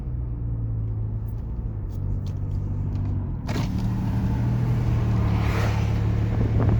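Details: 2006 Lexus GS300 dual exhaust, driving: loud, deep raspy drone under the car growing heavier as it pulls away; bad exhaust leak, later needing welding.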